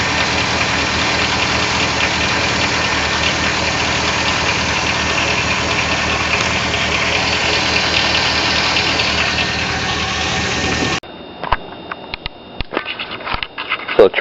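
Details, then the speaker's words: Chevy 6.0L Vortec V8 idling after about half an hour with 8 oz of SeaFoam added, known for GM piston slap: busy rattling knock over a loud hissy running noise; owner suspects piston slap, unconfirmed, noise later reportedly about 70% quieter. "we're going to see if it actually quiets the motor down at all it's got the uh GM piston slap in the 6o"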